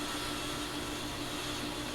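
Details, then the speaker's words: 2004 Englander 25PDVC pellet stove, original 10-year-old auger motor, moments after oiling and greasing its bearings: steady hum with faint low tone, only slight labouring, no groan or grind; running fine again. "just a few moments after the oil and greasing and this thing is running just fine again"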